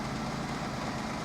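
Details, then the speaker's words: Toyota Yaris 1.0 VVT-i just serviced with new oil, oil filter, air filter and spark plugs, first start after service: steady, low, even idle with no ticks, knocks or misses; engine running smoothly. "it's spot on yeah sounds good just sound good"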